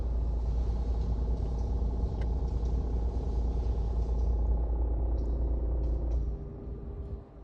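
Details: Suzuki car, heard in the engine compartment with the AC on: a heavy low rumble with a loose beat about three times a second, then it fades; the cause is not identified. Engine bay noise with AC on.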